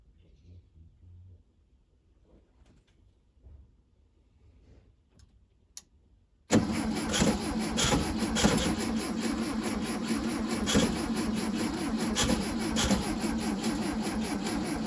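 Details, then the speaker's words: Restoration 1968 VW Beetle (possibly 1969–70) unused for about 5 years: steady starter churn, about two turns a second, never catches; cranks but won't start. Fuel reaches the carburetor but none seems to come out; floats possibly stuck, spark also doubted. "attempted coffage there, but I don't think we're getting any fuel out of the carburetor."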